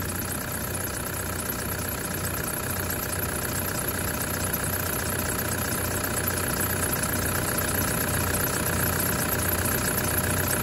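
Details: 2008 Toyota Land Cruiser 120 with 1KD diesel, brand new engine and injectors, aftermarket timing belt, stone cold at about 5 °C, running about a minute at idle: even rapid knocking clatter, normal until warmed to 83 degrees plus.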